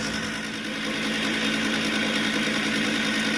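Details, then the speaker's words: Trane 6-ton package unit found not heating at maintenance, pressure switch fault code (three flashes), pressure hose detached: inducer motor loud, rough steady roar with hum and gritty rattle, guessed to move about 80% airflow; failing inducer motor. "when I came up here to change the filters on it I noticed that our inducer motor is making a lot of racket it's still blowing air but it's as I'm sure you can hear it's very very loud"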